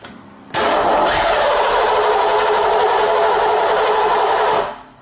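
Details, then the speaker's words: Engine cranked with coil wire disconnected and grounded for a quick no-gauge compression check: steady, even starter churn with no lurching, indicating even compression across cylinders. "if all the engine compression is even or fairly even it'll go okay here's what you're going to hear"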